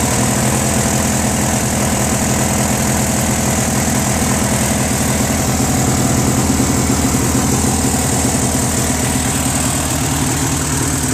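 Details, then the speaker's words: Briggs & Stratton 16HP opposed-twin on a Murray garden tractor, oil just changed: busy rattle with slow wavering rise and fall in speed, lean surge; runs good with some choke; owner thinks a missing Welch plug starves fuel. "Runs good with some choke. It means not enough gas is getting there. Because if it was full air, right, gas should be able to ignite, but because it surges, it's not getting enough gas."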